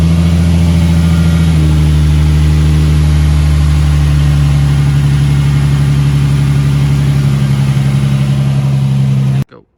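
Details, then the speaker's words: Nissan 350Z after Mishimoto oil cooler install and new engine oil, started to check for leaks: strong steady note, revs rise cleanly and settle, no knocks or ticks; no leaks, engine healthy. "And now I'm gonna just start it up and make sure there's no leaks. So let's fire it up. Check the leaks real fast."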